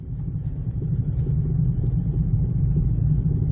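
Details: 2007 Jeep Compass driven after storage, with smaller rims and tires fitted: a steady low droning hum and vibration under road noise at road speed; the owner is unsure of the cause.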